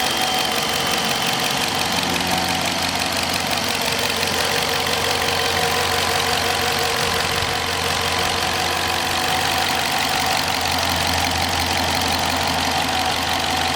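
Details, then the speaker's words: 2021 Dodge Charger Police, 5.7 HEMI V8, RWD, 8-speed automatic, 130,000 highway miles, freshly serviced with new battery: steady low hum and even hiss at idle, no ticks or knocks; healthy idle. "Vehicle doesn't have any funny noises, no funny ticks, and she is in immaculate running condition and shape, folks. Let me be quiet so you can hear the engine."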